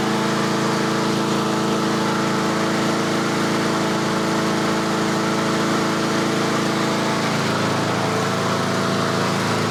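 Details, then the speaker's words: Yard Machines 21-inch self-propelled push mower during a late-fall tune-up, just started cold with the choke turned off; steady single-cylinder running with a faint rise and fall in speed, slight surging until warm. "oh it fired let me surge a bit the choke is off now research until it warms just a little bit"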